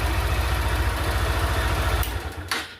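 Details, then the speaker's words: Honda Titan 160 after a temporary wire fix to the broken starter-switch positive lead in the handlebar harness: even, quick low putter at steady idle for two seconds before cutting; a healthy single-cylinder idle. "E agora, ó, peraí, deixa eu virar a chave aqui, ó. Tá funcionando, ó, depois que eu fiz essa..."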